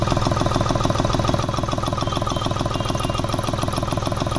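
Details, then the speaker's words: Hyundai Xcent whose engine was fully overhauled by another mechanic, now misfiring and blowing black smoke before EGR cleaning. A steady, hard knock about twice a second over a ragged diesel idle. The cause is unconfirmed. "यह इसके net मैंने ऐसी आवाज़ ए रही है बिल्कुल गाड़ी missing कर रही है ब्लैक स्मोक कर रही है"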